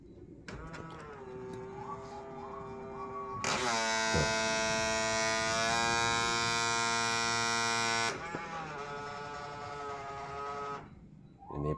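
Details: Honda Freed power-folding side mirror damaged after being sideswiped by a bus: small motor whines while folding closed, turning into a harsh loud buzzing grind mid-travel; power-folding mirror motor grinding buzz.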